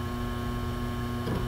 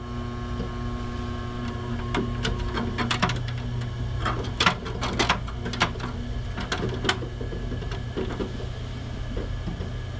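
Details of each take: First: Synology DS918+ NAS with four mechanical hard drives, about a year old: steady low buzz with constant hum as loose drives vibrate in their bays, started after a couple of months of use; fixed with stick-on Velcro tape. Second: Synology DS918+ NAS with four mechanical hard drives, about a year old, idling not under load: steady low hum with scattered soft drive clicks and none of the buzzing chassis vibration it developed after a few months.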